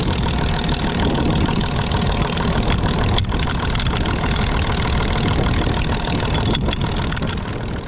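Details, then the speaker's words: Gaso 3211 injection pump running after overhaul and oil change: rough, uneven clatter from slamming valves with a dull rod-knock-like knock at about 3-4 per second. Owner suspects a loose crosshead; not confirmed. "so if you listen real close in this next clip you can hear a sound that sort of sounds like a rod knock"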